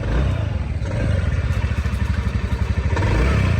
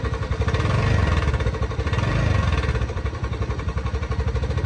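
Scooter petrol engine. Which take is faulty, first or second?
second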